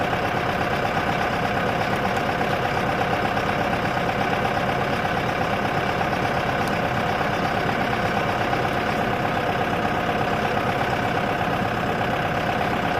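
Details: Boat engine bought for a 1967 Mustang fastback budget build: steady idle with a regular knock nearly three per second; deep internal knock, owner thinks the engine is junk.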